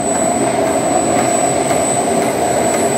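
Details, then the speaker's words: Ice cream machine motor test after replacing cracked bearing that caused a ticking "tig tig tig" noise: smooth steady hum, constant mid tone, faint high whine, no ticking or rattle; the noise is gone. Normal running after repair. "Nawala na yung ingay. Yung dati, yung ingay to, tig, tig, tig, tig, tig, ganon. Parang yun na, may basag na bearing."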